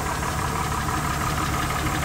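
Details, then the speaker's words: 2006 Honda Ridgeline V6 at idle during pre-purchase inspection, oil just changed: steady idle hum with a faint repeating clunk or knock, inspector suspects the valve train, source unconfirmed. "I don't know what that noise is it does have [Applause] a a clunk I would say maybe from the valve train"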